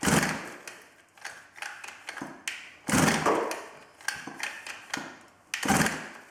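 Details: 110cc midsize off-road pocket bike unstarted for two years, key on, choke on, primed: several quick cord pulls, sharp rasps fading a couple seconds apart, never catching; cause unconfirmed, spark plug, coil and carburetor fuel to be checked.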